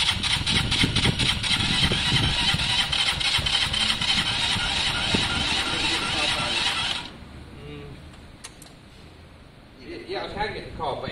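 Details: KSR Moto motorcycle after valve adjustment, weak battery, starting spray used: steady fast cranking about four turns a second for seven seconds, never catching; owner suspects the airflow needs restricting.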